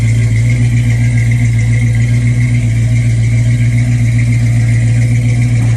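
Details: Mustang after an overheating fix, timing pulled back about 3 degrees to 10 because of hard starting, expected to sit near a 175° thermostat: deep, smooth, even idle with no ticks, knocks or hunting. Normal idle.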